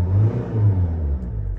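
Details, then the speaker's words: 2015 Dacia Sandero diesel, after a fuel filter change with no bleeding: a short deep rev rising and settling smoothly with no knocks or misses, with a beep in the background. Healthy diesel revving. "as you see it's perfectly fine ignore the beeping but you can see it's perfectly fine"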